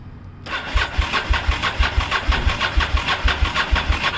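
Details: 1998 Honda VTR1000F Superhawk 1000cc V-twin, 19,291 miles, Yoshimura exhaust, factory jetting, cold start with choke after sitting for months: starter cranks steadily at about two pulses a second with no firing; owner suspects the carbs need service.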